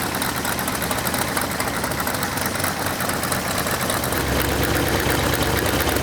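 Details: Rebuilt Ford 351 Cleveland V8 from a 1972 De Tomaso Pantera, warmed up at idle: sharp, fast ticking puffs about twice a second over the steady idle from leaking header gaskets, the cheap ones from the engine kit.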